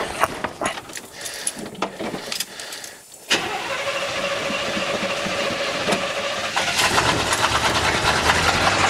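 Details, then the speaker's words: 1984 Chevy K10 Silverado pickup, first start after parts replacement: cranks and catches, then a fast ticking knock about two per second over a rough idle; later traced by the owner to a bad knock on cylinder one or two. "once I actually got the exhaust and all that stuff fixed I could hear that there was actually a bad knock on cylinder uh one or two"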